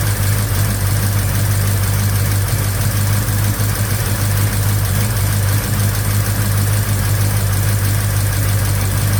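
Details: 1956 Chevy Bel Air 307 V8 with new lifters, idling with the valve covers off: loose, uneven top-end ticking clatter about three a second. Valve train clatter.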